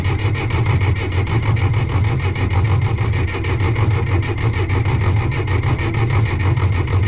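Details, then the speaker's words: John Deere 1010 crawler dozer, sat in a garage about 12 years, running after bleeding air from the injectors: steady, even diesel chugging with a clean regular beat, no knocks or misses; normal running. "well there it is i mean it's fixed up and running don't really have anything good push with it but it a"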